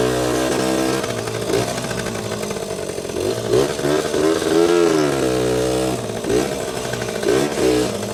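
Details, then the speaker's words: 1977–79 Yamaha GT80 two-stroke enduro, first start in a while after sitting, oil changed, full tank, started on choke quickly: crisp buzzy idle with quick clean throttle blips, little smoke; normal healthy two-stroke idle and revving. "Didn't take long to start, and yeah, these old two-strokes, man, just start right up. Not even that much smoke either."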